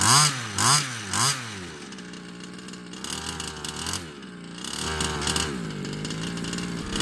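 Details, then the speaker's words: Customer's Baja 5B RC two-stroke engine with fresh fuel mix and a different carb: three crisp throttle blips, then a steady buzzing idle holding pitch cleanly; runs much better despite slight ring damage. "[Music] so it seems a lot better with this call that much ring damage a little bit of tuning and it ran now"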